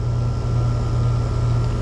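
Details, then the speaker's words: Mobile-home AC condenser after repair (had no cooling, 87 degrees inside), Titan HD part fitted, powered on at thermostat: compressor and condenser fan now running with steady deep hum and even fan rush, no clicking; normal running. "I got the fan on. I can hear that. Yeah. Get it running. [Music] That's what it wouldn't do before, right?"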